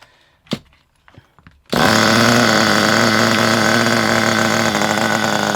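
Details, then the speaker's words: Kyosho Pure 10 Alpha nitro RC car after the high-speed needle was turned in about two turns because it was extremely rich: a few clicks, then a high, steady buzzing run with no stumbling; runs well, idle thought to need a good clear-out rev. "It actually runs really, really well. I think the problem with the ticking over is it needs a good rev."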